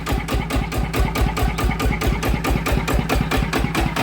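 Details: Yanmar TF120 single-cylinder diesel, which the owner said lacked power and smoked heavily, running after a new pump: even, regular thumping at idle with no extra rattle or gear noise; healthy.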